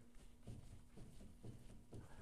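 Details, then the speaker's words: 1994 Chevy Silverado 1500 2WD, 5.7L, 4L60E, with rear-end whine: the driveshaft yoke is rocked by hand, giving soft dull clunks about twice a second from excess play. Likely a worn pinion bearing; re-crushing the sleeve could take up the slack. "See how much play that yoke has in it, that pinion bearings. Now if I went back in there and recrushed that a little bit to tighten it up, it's probably got a bad bearing that's shrinking a little bit, and that's where that slack come from."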